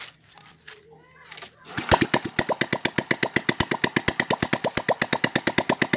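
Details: Honda Supra Fit four-stroke single after engine overhaul for rough noise and heavy smoke, new camshaft with decompressor, exhaust removed: crisp even unmuffled pops about nine per second, no misses or smoke; normal idle.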